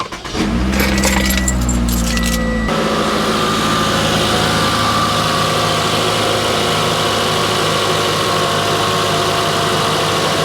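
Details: Toyota RAV4 (2013–2018) at startup right after serpentine belt and worn-out tensioner replacement: after a brief key rattle the engine fires and settles into a smooth, even idle with no belt chirp or rattle.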